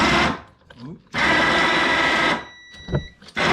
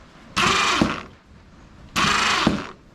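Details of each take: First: Yard-sale ATV winch, long stored, run on power: harsh gritty motor whir with rough gear chatter under load; gearbox sounds low on grease, owner plans to disassemble and re-grease. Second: Yard-sale ATV winch motor after disassembly and sandpaper cleaning, wired directly to a jump box: two short steady whirring runs with gear ratcheting; motor turns fine. Remaining noise suspected from cable rubbing.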